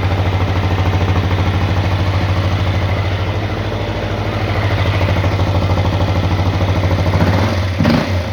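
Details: CRF250L single-cylinder at idle: a heavy rhythmic knock, about three beats a second, over a low rumble; internal engine knock.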